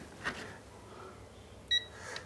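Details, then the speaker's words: Coffee machine thermostat (120°C cut-off) tested with a multimeter in continuity mode across its two pins: a short, clean high beep shows the contacts are closed and good. "इसको लगाएंगे या इसके connections close होते हैं, आपस में जुड़े होते हैं, तो ये आवाज़ साउंड करेगा, मतलब आपस में जुड़े हुए हैं, ये देखिए।"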